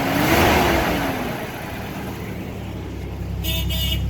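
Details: 1989 Toyota Pickup after replacing injector O-rings and fuel rail copper washers to fix a fuel leak, with new exhaust from the O2 sensor back and gutted cat: low, steady idle rumble with an even beat and no misses over traffic noise; runs healthy.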